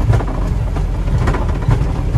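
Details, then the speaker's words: Old truck driving slowly over a rough stretch: irregular dry knocks and rattles from the suspension, a noise that started suddenly without hitting a hole; cause unknown. "né mas tá dando uma batida bem seca assim ó ó começou do nada esse barulho"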